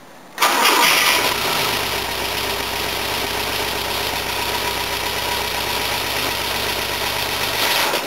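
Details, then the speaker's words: 1970 Volvo with fuel injection, overheating problem, cranked in neutral without touching the gas pedal: short even crank, catches quickly with compression on all cylinders, settles to a smooth steady idle, no smoke; normal cranking and start. "Yeah, it still runs. Started pretty quick, it still sounds like it's got compression on all cylinders."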